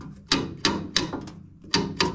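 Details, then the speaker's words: Honda CR500 engine cases apart, gear selector drum turned by hand: crisp firm clicks about three per second as the strong detent spring snaps cleanly into each position; normal. "le verrouillage on l'entend bien que ça claque il se fait bien ici et bien ici le verrouillage claque le ressort bien costaud donc qui est bien efficace"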